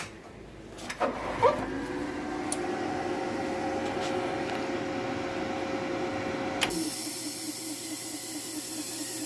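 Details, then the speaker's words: Tork CAB-50 plasma cutter that won't cut, torch not releasing the arc: thin steady hiss with faint hum and light fluttering, no strong airflow; low air pressure, weak air flow, problem related to the compressor. "Is a problem related to the compressor."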